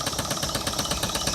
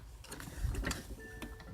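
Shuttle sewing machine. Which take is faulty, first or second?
second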